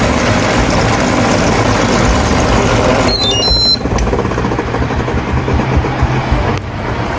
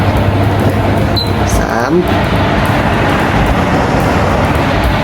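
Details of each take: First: Hatari AC Classic1 evaporative cooler fan before repair: loud rough rumble with steady low throb over fan rush; motor shaft spinning inside a loose blower wheel lock, wheel off-centre and cracked, shaking the whole frame. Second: Hatari AC Classic1 evaporative air cooler after repairing noisy, heavily vibrating blower fan and motor, at speeds 1–2 with swing on: steady even air rush over a low hum, no rattle or scraping; running normally.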